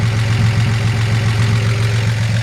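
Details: 1941 Chevrolet Business Coupe, dual exhaust with one holed muffler, doesn't overheat or smoke: low, even idle hum with smooth unbroken beat, no knocks or ticks; runs perfect, normal idle.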